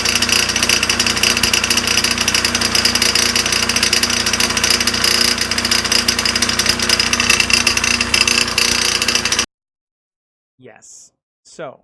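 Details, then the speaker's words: Dental air compressor in a basement utility room on start-up during inspection: harsh hammering rattle near four beats a second with hissy metallic clatter; really terrible noise, cause unknown. "Now, when I was down there, the compressor kicked on and it made this really terrible noise."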